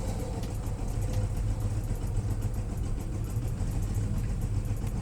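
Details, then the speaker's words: Volkswagen Jetta with EPC light and codes P1579, P1545, P1558 (throttle not initiated, throttle valve malfunction): rough idle, low uneven rumble that hunts and revs up and down with heavy vibration; owner suspects throttle body/basic setting not done. "And yesterday there was a funny, you can see how it's vibrating, so it's really terrible."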